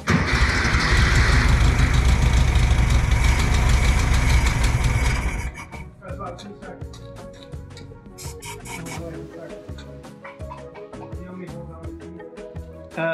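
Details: 1964 VW Beetle air-cooled engine stored 8–10 years, after oil change, spark plug check, carb cleaner and external fuel source bypassing the tank: five seconds of fast loud cranking, rough firing catches briefly then drops to quiet clatter.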